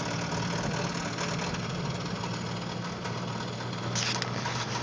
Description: a video of me driving my 95 4runner with the 3vze engine and making a bad knocking noise...rod bearing or what?